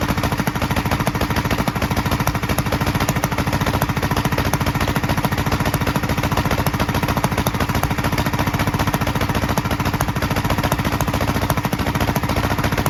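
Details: 1943 Gravely Model L single-cylinder on rebuilt magneto and borrowed 1955 L carburetor with its settings; uneven thumping about three beats/s, pops from carburetor and exhaust; valve lapping and lash check planned. Rough running with popping.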